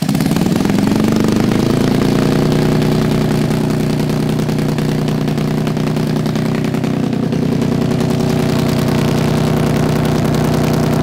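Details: Suzuki GS450 six-speed motorcycle engine in a go-kart lawn mower with the exhaust cut off: first start after fixing a no-spark problem (no light was installed). It catches, revs briefly, then runs steady and even; oil was later found blowing out.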